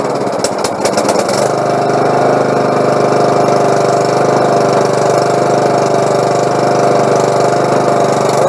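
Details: Lawnmower after its carburetor was cleaned and repaired. A brief start-up flutter, then a steady, even buzz with no misses or surging; runs smoothly.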